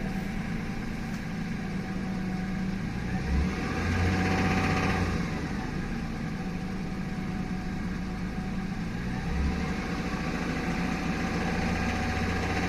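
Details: Toyota Tundra 1GR-FE 4.0L V6 petrol: steady idle with a light, fairly quick tick-tock that picks up on throttle blip, heard when starting and accelerating; source unconfirmed; engine ticking noise.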